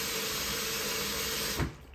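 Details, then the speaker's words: QFlow 2.5kg compact RV/caravan/boat washer with plastic dispenser, 40-degree 48-minute cotton wash: water fires in pulses like an LG fill, to clear the dispenser and help it siphon; hissing rush for about 1.5 seconds, then clean stop; normal pulsed fill. "so you can see that it fires and impulses very much like an lg filling"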